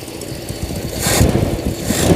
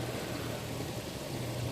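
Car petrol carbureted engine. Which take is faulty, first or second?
first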